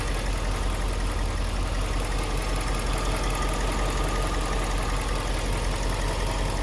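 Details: Twin-turbo Subaru Liberty B4, engine idling in bay: dull, uneven rattle about three times a second over a hissy background, seeming louder on one side of the engine; owner unsure, wonders if timing related, hopes it's something outside the engine.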